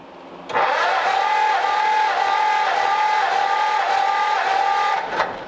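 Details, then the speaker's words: 1939 Ford Coupe engine, described as brand new, under compression test while cranking: steady starter whine dipping evenly about four times a second, no uneven beats; readings about 100 to 120 psi across cylinders, good compression. "Even with me doing it shitty, it's almost at 100."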